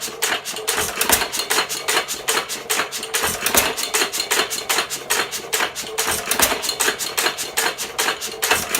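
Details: 1917 Fuller and Johnson N hit-and-miss single-cylinder engine, first run in ten months, governor free; crisp, even clacks about two or three a second from igniter and valves; running happily.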